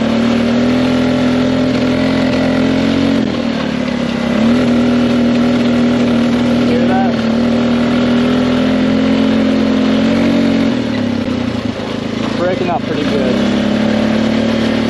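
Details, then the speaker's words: 2005 Polaris Sportsman 400 4x4 ATV at full throttle while riding: steady drone that keeps sagging and stumbling like bouncing off a rev limiter, not reaching speed. Engine breaking up; owner suspects carburetor. "all right so as you can see I was going Full Throttle all the way down and so almost like it's bouncing off the rev limiter it's not going as fast as it should"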